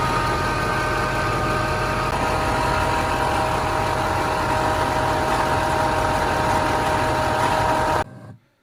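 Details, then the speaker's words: 2006 Duramax diesel, about 17 years old, idling with a steady whirring whine like an alternator whine or spinning bearing, slightly slipping; alternator first suspected, traced to a worn idler pulley. "I ended up started with a whine. It sounded like an alternator whine. Eventually I'd almost call it a bit of a whirring noise."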